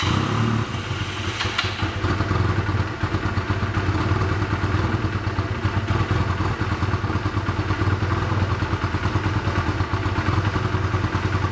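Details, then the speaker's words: 1985 Honda Rebel with 2000 miles, first start after about 17 years stored, cold on choke, lumpy uneven chugging idle that won't rev cleanly; clogged carburetor jets starving the engine. "Okay, we're gonna let it run for a while because I can't even rev it now, but let it warm up and we'll see."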